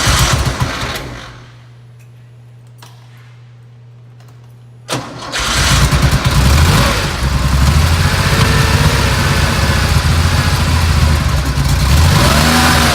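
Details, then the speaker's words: 1970 Porsche 911 T, carbureted, pre-purchase inspection first cold start: uneven, lumpy idle with a skipping beat and a deep throb as it warms; audible misfire plus a felt deep vibration, cause not confirmed. "what I experienced here on my first startup you know what if you hear the misfiring that's pretty obvious there too but what's concerning me a little bit is a I feel like a deep vibration as well"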